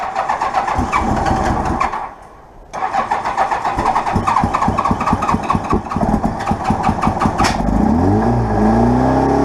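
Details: GL1200 Goldwing not run or registered in almost four years, battery hooked up: long stretch of starter churn with one pause, about seven seconds before it catches and revs up; slow to start after sitting, then runs well.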